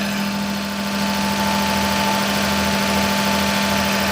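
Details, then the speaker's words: Daihatsu S210P mini truck engine revived with new OEM camshaft and phaser after two years out of service, about 180 psi compression, alternator disconnected: steady, even idle with smooth low hum, no knocks, misses or rattles; healthy. "She sounds great. She's running that 180 lbs compression. Man, this thing sounds good."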